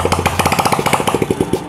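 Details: Old Honda Legenda single-cylinder after cleaning oil residue for smoking, noisy, misfiring, hard-starting complaints; exhaust refitted, crisp even beat about thirteen pulses a second, no knocks or misses, running clean and healthy.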